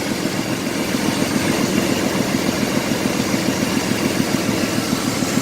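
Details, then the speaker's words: Ford F150 with misfire; uneven idle stumbling about three times a second over a constant airy hiss from a cracked small hose, PCV valve leak also found; idle misfire with hissing, possibly vacuum leak. "it's a little hose with a crack in it I think that beer fix but we'll see"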